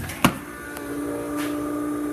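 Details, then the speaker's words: Newly installed fuel pump priming at key-on before first start-up attempt: a brief click, then a steady even hum at one pitch; pump runs normally. "switches on let's get back to resume let's see if we can hear the fuel pump run"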